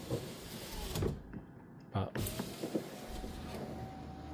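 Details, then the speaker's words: Ford Mondeo ST220 power window, final test after lubing the door and refitting the door card. Soft door thunks, then a steady, even motor hum with no grinding or catching. The window works normally. "So we'll just do a final test. The window has got one touch as well. I think it's only one touch down though."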